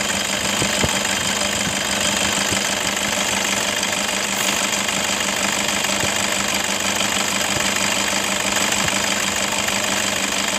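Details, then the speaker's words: 2011 Toyota Fortuner 2KD 2500cc diesel idling with a harsh gritty clatter and jingling rattle from a worn belt tensioner assembly and idler bearings. "hai oke Guys diri bunyi seperti itu Kasar banget ya Nah ini tersebut itu berasal dari engselnya sama Idol bearing deh"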